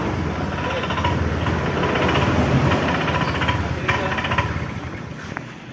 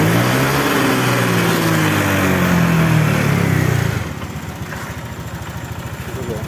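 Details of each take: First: Honda Vario 125 scooter stumbling under throttle: uneven sputtering "keretak-keretok" chug that bogs and sags as throttle opens, stalling at full throttle; starts fine; cause a misadjusted throttle position sensor. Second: Honda Vario 125 after ECU reset via DLC socket: after a brief loud stretch, settles into an even, steady idle with no stumbling; healthy.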